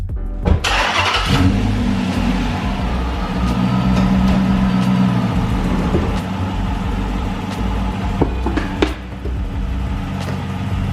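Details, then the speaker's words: Hemi V8 Chrysler 300/Charger after alternator replacement for a whine, low voltage and battery light: starts with a brief burst, then a steady even idle with no rattle, whine or grind, charging at 13.9–14 volts. "so there you have it looks good sounds good nothing rattling around nothing getting in way of anything it's not whining not grinding"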